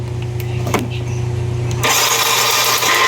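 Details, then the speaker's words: Yamaha Mio i 125 scooter cranking with spark plug removed, after freeing a sticking starter carbon brush: low hum then fast even starter whir that keeps turning the crank without cutting out, normal. "So ayan, tuloy-tuloy na yung ikot ng crank."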